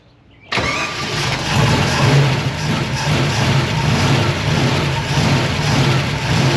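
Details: Abandoned small-block Chevy V8 intended for a Nova, first fire-up. Uneven, lumpy rumble that rises and sags, struggling to idle, with a tick suspected as valvetrain or alternator. Rough idle.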